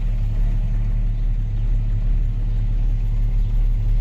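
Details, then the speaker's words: Jeep Grand Cherokee ZJ just jump-started after a dead battery, possibly low on coolant: deep, uneven low rumble at idle with nothing sharp on top, which the owner says stops when driving; cause unknown. "I don't know if you can hear that rumbling. It stops doing it when I drive, but it's really doing it right now."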